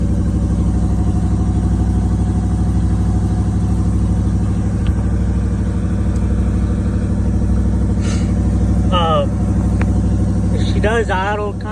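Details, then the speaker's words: 1989 Camaro cold start in cold rainy 40–50°F weather, no exhaust fitted yet, after ignition switch repair; steady even rumble at raised cold idle with no misses or knocks, normal fast idle that drops back once warm. "hide it whenever she first starts up but then she'll drop back down to where she needs to be"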